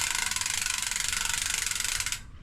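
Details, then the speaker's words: Surly Pugsley fatbike rear wheel with Hope Pro 2 hub (about 2006-07), freehub rebuilt with new pawls and bearings greased: loud, crisp, evenly spaced ratchet clicking while coasting, a normal healthy freehub buzz. "So this hub got rebuilt. It got new poles in the free hub and rebuilt. With the bearings are actually okay now, but they got greased. But listen to that. There's nothing else. Sounds like a Hope hub."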